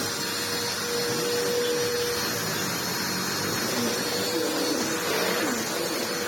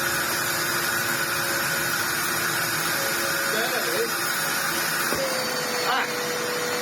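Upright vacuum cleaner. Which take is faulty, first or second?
second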